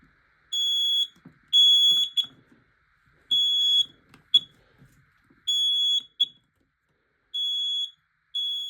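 Loud, piercing high-pitched beeps in short bursts of about a second with gaps, clean and strong: the alarm sounds properly on test.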